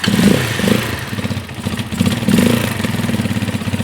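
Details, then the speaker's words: Carbureted Janus 250 motorcycle, idle screw being turned in an eighth-turn at a time: slow, slightly lumpy single-cylinder thump with occasional stumbles; idle still too low, target about 1600 rpm (1500–1800), engine should be at full operating temperature. "I try to set it for about 16. yep see and we're still not quite there"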